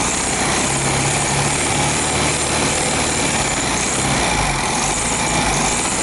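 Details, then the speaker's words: 1973 VW Beetle after pump replacement and engine service, ignition timing advanced: engine runs with constant harsh metallic scraping rattle; slightly bent pulley rubbing on hammered engine tin. "ah esse barulho esquisito é porque a polia ela infelizmente ela tá pegando naquela chapinha que eu martelei tá"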